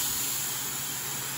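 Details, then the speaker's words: Vintage TIG welder during control board repair: gas solenoid tested, steady even hiss of shielding gas flowing with no sputter or pulsing, then times out; solenoid working normally. "i just want to confirm that the gas solenoid is still working as it should so just a simple test would confirm that and it is you can hear it and then it should time out"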